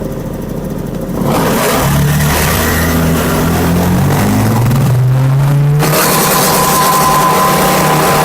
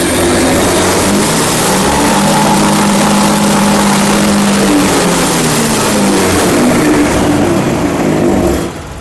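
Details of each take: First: Honda Vario scooter idling at about 1400 rpm on a diagnostic scanner. At full throttle the revs climb, then sag back instead of holding: hesitation from a faulty throttle position sensor, which was later replaced. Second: Honda Vario 110 motorcycle, engine running during TPS check with scan tool: pitch climbs and holds steady at full throttle without sagging or hesitation, then settles cleanly; TPS reading normal; normal throttle response.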